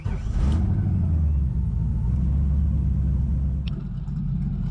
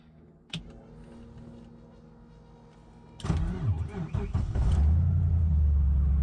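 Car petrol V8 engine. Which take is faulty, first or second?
first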